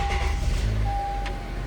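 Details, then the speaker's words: 2012 Honda CR-V 2.4L, 143k miles, just fitted with a reman starter replacing the old original, throttle body cleaned and intake manifold reinstalled: brief firm crank, engine catches straight away with steady low rumble; starter sounds stronger than the old one, working properly. "it starts up right away. The Reman starter, it sounds like it's a lot stronger than my old one."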